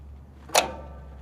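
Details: Massey Ferguson 245 tractor no-start: a single sharp click over a faint low hum with no cranking, while starter voltage drops only from 12.4 to about 11.9 V; cables look bad, cause suspected not confirmed.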